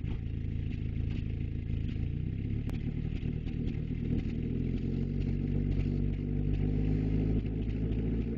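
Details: 1994 Volkswagen Jetta: uneven stumbling low-pitched idle rising with revs, irregular pops and clatter; owner unsure whether misfire or backfire, cause unknown.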